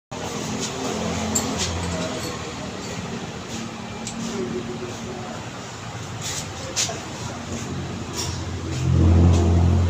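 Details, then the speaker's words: Rough, noisy car engine knocking about four times a second; scored oil pump starved parts of oil, leaving worn bearings, and the engine needs an overhaul. "Ang problema ay ah pinakaproblema nito nag-nacking ung makina ah sobrang ingay na. Ito ang dahilan oil pump."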